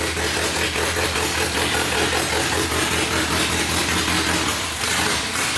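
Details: K-swapped Civic on its first start: raw open-pipe idle that lopes and stumbles unevenly, barely staying lit, a choppy beat from an aggressive cam; shut off quickly as oil was squirting out of the head.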